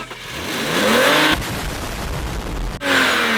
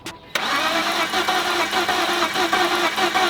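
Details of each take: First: BMW E46 that would not start due to cylinder wash from low oil, fixed by adding oil to the cylinders with a syringe: catches quickly, revs smoothly and settles with no misfire or knock; normal start and rev. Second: BMW E46 that sat low on oil and was started without running long, causing cylinder washout: starter spins the engine in a steady even churn but it never catches; low compression, fixed by adding oil to cylinders with a syringe.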